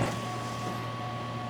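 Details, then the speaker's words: C5 Corvette headlight motor after replacing a stripped gear with a brass gear. Short smooth electric motor hum with a steady tone as the lamp lifts, and no clicking or grinding; the earlier noise is gone. "Okay, both seem to work. Let's see if it makes any noise on the way down. Alright, we got no noise. Everything looks good."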